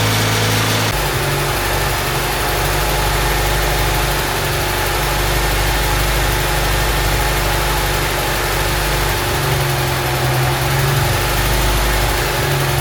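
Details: Honda Civic EG Mugen hatchback four-cylinder idling just after valve seals, timing belt and water pump replaced, timing and distributor set, before coolant top-up and bleeding: steady, even idle hum with no knocks or misses at a constant pace; running smoothly.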